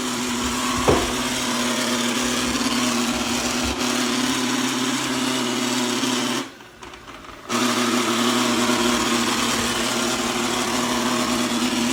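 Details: Eufy G30 robot vacuum about one year old: loud harsh rasping grind over steady motor hum, started about a month before warranty expired.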